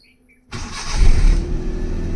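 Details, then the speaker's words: Used Maruti 800 (Euro 2) petrol car starting on the self-starter, no leaks reported: the engine catches almost at once and settles into a smooth, even idle; normal start, seller calls the engine sound very good. "চাওক একদম একেবাৰে ইমান ধুনীয়া চেল্ফত start হৈ গৈছে। মাত শুনা পাইছে একদম ধুনীয়া হৈছে গাড়ী পূৰা টিপ টপ কণ্ডিশ্যনৰ গাড়ী হয় এখন"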